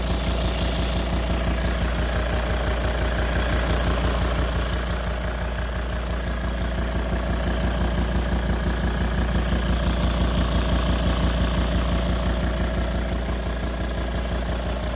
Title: Volvo D5 Hard start. Is this lifter tick?